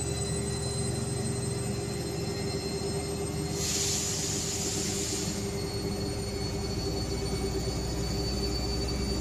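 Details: IFB washing machine: steady loud droning roar with a high ringing whine and a brief hiss surge mid-run; abnormal drum noise, levelling and drum to be checked, cause unconfirmed.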